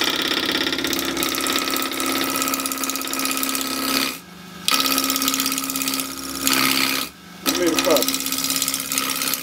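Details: Wood lathe spindle turning, roughing a square blank of about 2.5 in diameter to round with a roughing gouge ground at about 45°, tailstock half first, bevel rubbing; steady high-pitched cutting hiss with brief drop-outs between passes; normal clean roughing cut.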